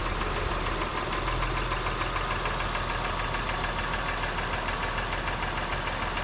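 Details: Engine at idle with A/C on, rough idle, third oil change using Valvoline Restore & Protect and a Purolator Boss filter: light regular tick about three per second over engine hum; ticking, cause unclear.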